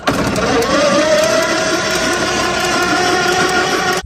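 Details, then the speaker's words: Model T cranking with no start and no spark; steady whirring crank, pitch slowly rising over four seconds, never firing; one wire chewed and frayed, spark plug wires possibly chewed by a rat or bunny. "no spark that's not cool there's one wire here that's really chewed up little Fray and then we got our actual spark plug wires that look like they were maybe chewed on by a rat or bunny"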